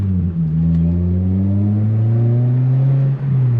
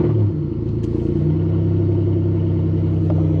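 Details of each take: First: Toyota Celica GTS-R after exhaust repair, rerouted away from the gas tank with old failing gasket replaced: smooth deep drone swelling with throttle, no rasp, rattle or vibration; normal exhaust note after repair. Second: Toyota Celica GTS-R with 2ZZ engine, cold start: low, chuffing, uneven idle rumble at about four pulses a second; suspected exhaust leak around where the downpipe meets the mid-pipe, booked for exhaust repair.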